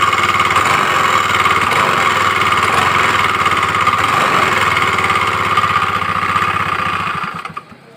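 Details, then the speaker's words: Honda Beat FI scooter idling: an uneven, rough klotok-klotok knocking from the CVT that is worse when riding. A rough sound at idle points to a worn front roller housing (variator). "dengan kendala suaranya ini kasar klotok-klotok ini kalau jalan ini suaranya lebih parah"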